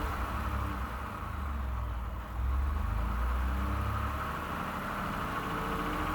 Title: 2nd Gen 3.5 EcoBoost V6 Engine Knocking, Rattling - 29K Mile 2018 F-150